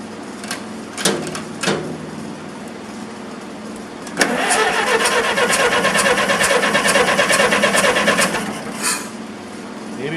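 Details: Massey Harris 44 tractor sat seven years, first start attempt: few clicks then even chugging cranking about three beats a second for four seconds, no start; fuel was off, points suspected corroded.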